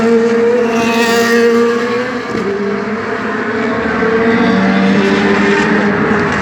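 A high, raspy V8 idle that stumbles and wavers in pitch with uneven pops; the engine is misfiring.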